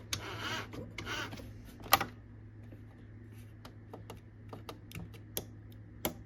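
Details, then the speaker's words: Tandy DMP133 dot-matrix printer switched on with no computer connected: irregular sharp ticks and rattling bursts over a low hum as the print head fires pins by itself, marking the paper; cause unknown. "see hear that it's firing pins look at this this is what it does there's no computer turned on right now and that's what it does"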